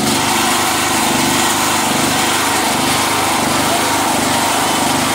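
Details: Generator just repaired by a young local mechanic and pull-started: small engine runs with a fast, even, buzzy drone and no misses or knocks, running normally.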